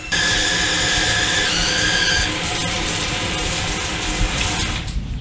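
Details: Shower valve giving a steady high-pitched squeal over running water, pitch shifting as the valve is adjusted; suspected not the valve but a slightly dripping tub spout sending vibration through the pipes, fixed by replacing the tub spout.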